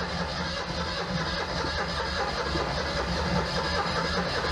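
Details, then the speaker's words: Citroën 2CV unrun for a couple of months, with no primer, drawing fuel from the tank: the starter turns the engine slowly and laboriously without catching. Starter seems to be struggling; the owner may add petrol via the air filter. Slow cranking. "oh dear that sounds like the starters struggling i might have to take the air filter assembly off and drop a little petrol in uh just to encourage us to fire"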